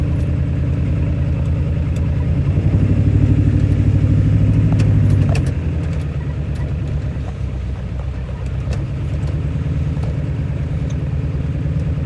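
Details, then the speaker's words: 1997 Powerstroke diesel with hard starting, after 20–25 minutes of running and a drive: lumpy, uneven beat that swells as it revs and settles still not smooth; rough running, later clears on the highway, cause unknown. "you can hear it it sounds a little bit better but it's still not perfect"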